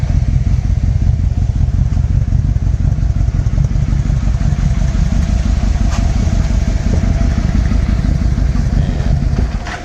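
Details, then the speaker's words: 1996 Yamaha Royal Star Tour Classic, 29,000 miles, reportedly sat about a year, running on jumper cables with a weak battery. Loud uneven clatter with irregular firing fades out, so it hesitates and stumbles on throttle; owner suspects bad fuel. "Ah, she doesn't like the throttle. I think it's because I got crappy fuel in here."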